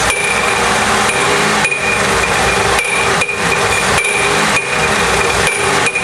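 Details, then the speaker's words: GM 3.8 engine: hollow, rattling metallic bangs about twice a second, like bottles knocking, fading when revved; sounds like internal clunking but caused by failing harmonic balancer. "now if you hear that noise it sounds like something's clunking inside the engine and it can kind of sound bad"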